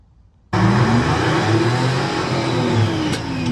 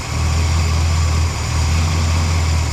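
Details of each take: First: 1975 Lincoln Continental with a freshly rebuilt 460 V8, a couple hundred miles since rebuild: revs rise and fall with an uneven, lumpy beat from a misfire. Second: Rebuilt 460 V8 in a 1975 Lincoln Continental, a few hundred miles since rebuild, idling after a misfire traced to cylinder 7 was fixed: deep, steady, even rumble with a brief dip, no miss, no valvetrain noise; normal idle.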